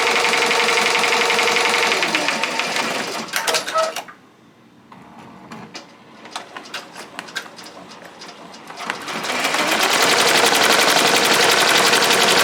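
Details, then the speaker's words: Ricoma MT-1501 embroidery machine trace-running without dropping needle to catch up to last stop point: fast even mechanical chatter, brief quieter stretch of light ticks, then even run resumes; normal. "basically it's going to act like it's spreading but it's not going to drop the needle at all as you can tell right so you're just going to hear the noise because it's going to catch up to where it last stop which was the K so it's basically going to fake run it all the way through until the image"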